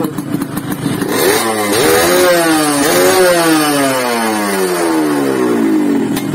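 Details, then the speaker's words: Yamaha RX-King two-stroke, sluggish from overly extreme porting: blipped up and down twice, pitch rising and falling with revs, with a rough, busy clatter underneath; noisy, rough-running engine. "Wow suaranya seperti itu temen-temen kedengarannya berisik suara bareng-bareng"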